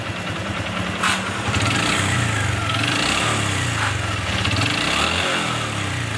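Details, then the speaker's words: Honda Supra X 125 FI motorcycle idling: rough uneven low knock heard mainly around the middle of the engine, suspected worn connecting rod big-end; engine dismantled and connecting rod replaced. "nanti kita akan bongkar mesinnya karena diperkirakan ini suara kasar dari stang seher ya"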